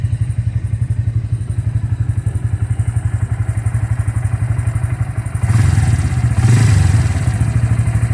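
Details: Bajaj engine after being opened up: heavy thump about four times a second with a loose clatter that swells when revved, a definite abnormal internal noise.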